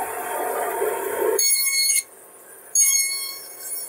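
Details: Old bandsaw used over 31 years, being fixed up with neighbor's parts: high steady squeal rings over the running saw, cutting off and returning; blade rubbing somewhere up top.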